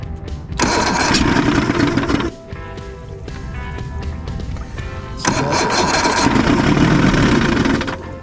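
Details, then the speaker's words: Circa 1989 Evinrude 150hp two-stroke outboard, hard-start complaint; ignition key circuit also faulty: catches in short bursts, sags, picks up without settling at fast idle; suspected fuel problem, possibly clogged carburetor jet. "yeah we got a fuel problem so maybe we crack these all and flush them out"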